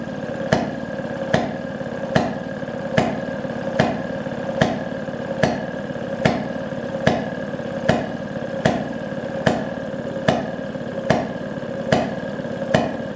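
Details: 1929 Maytag Model 92 single-cylinder washing machine engine after rebuild (new coil, points, condenser, magnet, plug, wire, fuel tank, mixer gasket): sharp even pops about 73 per minute, steady with no misses; running healthy.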